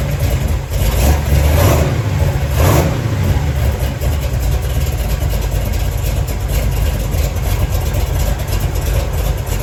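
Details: 1970 Chevy Nova big-block Chevy V8 started after replacing the failed, flattened water outlet O-ring with a paper gasket and RTV to cure a slow coolant leak; catches, brief rev, then even lumpy idle with no knocks or ticks, no leaks.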